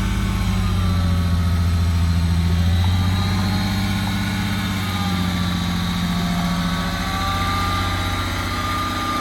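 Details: VW Mk1 Cali with VR6 swap, first run after rewiring and starter fixes, new correctly rated battery fitted: engine runs at a steady, even idle with a smooth low rumble, no misses or knocks; normal running.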